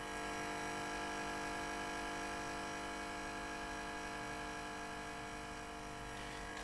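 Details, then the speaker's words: 1986 ZX Spectrum +2 through TV audio: faint constant buzzing hum on fixed pitches, gone when the audio connection is unplugged; points to ground noise from the always-powered tape deck amplifier on the board. "volume up and you can hear you can hear the hum you can hear the dolls"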